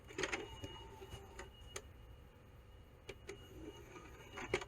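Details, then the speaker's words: Original Xbox with leaked clock capacitor, before servicing: disc drive tray opens and closes with soft whir and clean clicks, no grinding or sticking, over a somewhat loud fan hum; tray normal. "that's pretty good it's not staking or anything"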